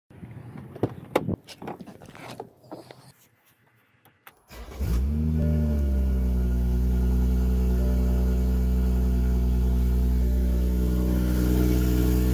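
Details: BMW F30 340i after fitting a new clip on a rattling exhaust valve: a few clicks, then the engine catches and settles into a deep, steady drone with no rattle; normal, healthy exhaust note.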